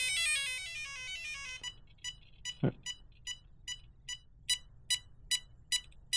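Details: Traxxas 4-Tec 3.0 Corvette, ESC setup on 3-cell battery holding full throttle at switch-on: falling run of tones then short high chirps about two per second; ESC keeps cycling its beep sequence, setup possibly done wrong, not confirmed.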